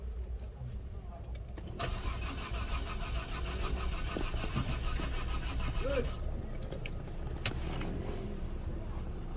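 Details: Peugeot 407 V6 after head gasket replacement: steady starter cranking about three turns a second, never fires; crank no start. Scan shows no signal or power to all six injectors (P0201–P0206); cause still being traced, injector pulse checked.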